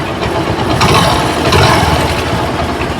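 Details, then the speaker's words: Hero Splendor after timing chain and roller replacement, kick-started: small single ticking over evenly at idle with no rattle or chain noise; normal idle after repair. "Bike अब आवाज ठीक है।"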